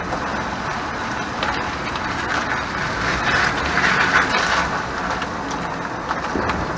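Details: 2001 Chevrolet Silverado 1500 driving, loose clattering rattle from the rear as the back tires hit bumps, progressively worse; caused by the parking brake (e-brake), with its cable hanging after spare tire removal.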